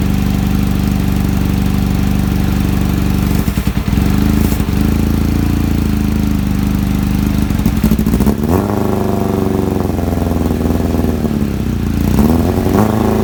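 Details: Kawasaki ZX-7R four-cylinder after carb cleaning for a faltering idle circuit, cold start: even idle with brief throttle blips rising and dropping back cleanly, more responsive, idle screw now working; normal cold idle.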